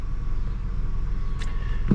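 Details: '95 car started without pressing the gas after waiting for the beeping to stop and the fans to come on: low, even rumble settling into a steady idle with no misses or knocks; normal start and idle.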